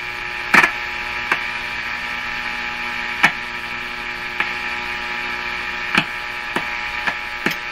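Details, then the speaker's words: Hallicrafters S-40A shortwave receiver, testing the "death capacitor" between B-minus and chassis ground; steady low mains hum under hiss with a few sharp pops, the hum lowering with the change; mains hum. "it's so hard to hear the hum over the noise you hear the hum now"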